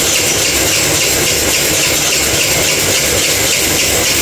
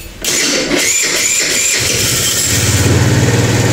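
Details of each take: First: Kuba Valentino 50cc scooter whose top speed has fallen from 70-80 to 50-60 km/h: a constant, harsh, high grinding rasp as the engine struggles to run. Cause: stator rubbing the flywheel. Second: Kuba Valentino 50cc scooter after engine rebuild for strange internal noises and speed dropping to 50-60 km/h; starts on first press, quick even putter with no odd rattles. Normal idle.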